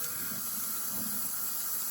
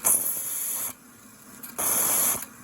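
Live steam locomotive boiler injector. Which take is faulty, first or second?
first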